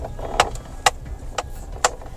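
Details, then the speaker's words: Maruti Suzuki Ciaz: sharp dry knocks about twice a second over a quiet cabin as the steering wheel turns; steering column knock; suspension otherwise silent. "ये यह आवाज है जो irritate कर रही है बाकी सस्पेंशन में कोई आवाज नहीं है गाड़ी में बाकी साइलेंट है गाड़ी"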